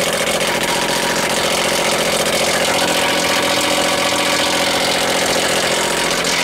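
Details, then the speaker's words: Outdoor heat pump in heat mode sited under a roof drip edge in cold weather; dripping water freezes into icicles that the fan blade strikes: loud rough roar with fast clattering. "ly cold out it starts dripping and it freezes in that fan because she creates whole there when she's in the um heat mode she's blown cold and that dripping as I hope you can see it that dripping is right on the unit and it's making enough icicles there where the pan is hitting"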